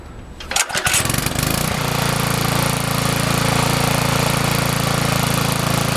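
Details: Yard Machines edger, 3.5 hp Briggs and Stratton, after Pulsa-Prime carburetor service, hot restart after running a few minutes: quick pull catches at once, steady even run with no misses or knocks; normal hot start.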